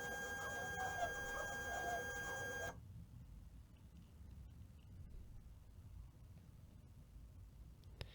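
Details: Magicard Tango 2E ID card printer with a "flipper jammed" error, powered on after cleaning with Q-tips per the maker's instructions: a steady motor whir with a few clear tones for about three seconds, then faint clicks. Printer ready, normal startup.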